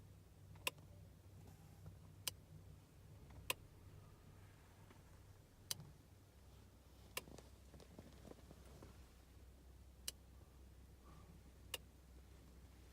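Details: R53 Mini Cooper S, cabin near the rear of the center console, engine off: sharp isolated clicks every one to two seconds, irregular, lasting about 15 minutes, like a switch operating; source not identified.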